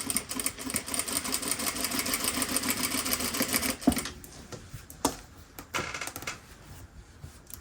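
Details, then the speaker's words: Sewing machine stitching a dress facing: fast stitching chatter with sharp pop each needle stroke, from an old needle not yet changed; worn needle. "around ah you know what guys I didn't change my needle can still hear it popping"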